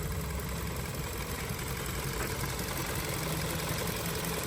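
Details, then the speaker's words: 2023 Hyundai Tucson at 23,000 miles, recorded inside the car, over 1,000 miles after adding Snake Oil engine additive: even, steady low hum, no knocks, misses or ticking; smooth warm normal idle. "This is the results on the 100% snake oil product after over 1,000 miles. You can see how quiet the engine is. Hardly moving."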